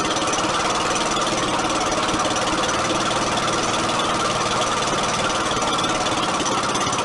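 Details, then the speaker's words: Rare 1950 Briggs & Stratton NPR-4D single-cylinder engine revived after sitting: fast, uneven clatter at about four beats a second, then it dies. The owner suspects it ran out of gas; later it floods, so the carburetor needs rebuilding. "that's very n b it did run though probably out of gas now"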